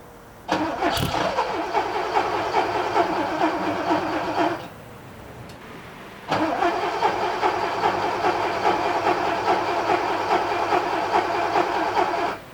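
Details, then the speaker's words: 1979 Porsche 928 V8: two four-second cranking spells, starter churning evenly but no firing; hard starting, took 5–10 minutes and 10–12 key turns to start. "that wasn't a massive surprise that it took so long um I don't know how much I show you but it probably took me 10 minutes to get it started 5 10 minutes I probably turned the key 10 12 times you know cranked it nothing"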